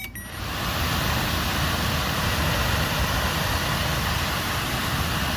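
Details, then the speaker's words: 2011 Nissan Sentra/Rogue cabin A/C blower motor, new replacement run on direct power: steady, even whoosh from the fan spinning freely with no scraping, rubbing or jamming; normal blower motor operation. "Well here we are now going to try again to see how It should work without any jamming or anything."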